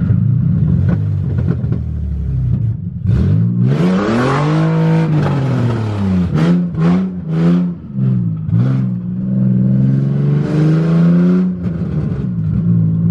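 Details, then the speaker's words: Budget Nissan 350Z drift car on its first drive, open headers with no test pipes: very loud raw exhaust rising and falling sharply with the revs, popping backfires as the throttle is lifted. "it is so loud oh man this is wild driving my Z for the first time oh my God it's so scary oh it backfires so [Music] much"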